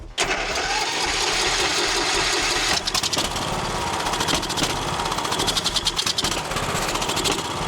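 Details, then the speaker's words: Troy-Bilt XP Horse lawn tractor engine, dead battery, running on carb cleaner: catches and runs hard for a couple of seconds, then sputters and surges as it leans out; fuel starvation, carburetor or fuel lines suspected. "Okay, we definitely have a fuel delivery issue. I don't know if it's a problem in the carburetor or fuel lines."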